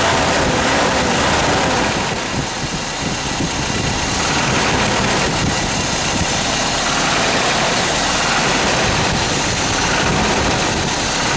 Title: Toyota 22RE Engine Death Rattle Noise ?